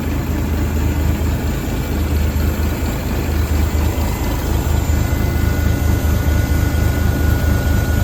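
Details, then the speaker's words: 1978 International Transtar II cabover diesel, first start after sitting 3 years during restoration: deep, steady rumble at even idle, no misses, knocks or rattles; idling healthily. "It worked. Sounds good to me. Well, that was an epic win if there ever was one."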